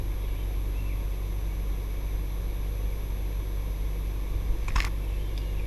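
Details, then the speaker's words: ICP 3-ton 5-speed inverter heat pump, newly installed outdoor unit with no contactor or run caps, running and ramping down: steady low compressor and fan drone, no rattles or squeals, normal running; takes about 5 minutes to start working after power-on. "So we'll let it ramp back down. So from the time you turn power back on, it takes about 5 minutes for the unit to start up and get working."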